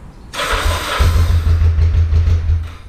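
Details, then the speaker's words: 1985 Kawasaki 454 LTD EN450 cold start (sat four hours), little choke, after carb rebuild and valve adjust; starter turns, catches after half a second, runs lumpy and uneven, sounding like it lacks fuel at first; hesitant cold start, cause unconfirmed. "that doesn't sound like it has fuel"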